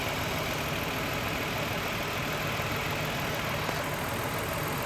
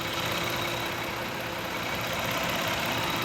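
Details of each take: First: 2000 Toyota Avalon 3.0 V6 VVT idling low and uneven, about 650 rpm, with a distinct flutter from one cylinder dropping out, a mystery misfire. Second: 2000 Toyota Avalon 3.0 VVT after replacing a failed coil pack for a misfire: steady even idle hum with no skips; engine running smoothly, not a variable valve timing issue.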